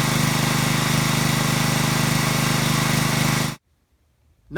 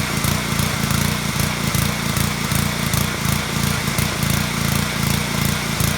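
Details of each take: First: Small-engine pressure washer after cleaning the carburetor's internal pilot jet to cure surging: even, rapid single-cylinder beat with no rise and fall in rpm; runs absolutely smooth, no surging or hunting. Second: Small-engine pressure washer at idle: the rpm keeps rising and falling in a steady pulsing surge instead of holding even, caused by a clogged carburetor pilot jet starving the engine.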